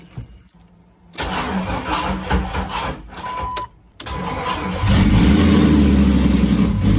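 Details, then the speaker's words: 2001 Jeep Wrangler after an engine swap, first real run once the radiator was topped off with coolant, intake not yet installed: cranks briefly, catches, settles into a loud, steady, even idle with no exhaust fitted; normal start and idle. "we topped off the radiator with coolant so we could run the motor for more than two milliseconds and finally hear what she really sounded like"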